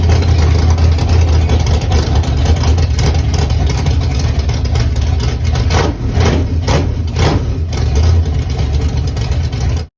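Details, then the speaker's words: Chevy small-block nitrous drag engine, first start, cold, headers unfinished, good oil pressure: deep, steady V8 idle with a smooth, even lope and no knocks or ticks; normal idle. "um yeah i am so excited man it sounds so good can't wait to finish the headers and yeah he'll sound good"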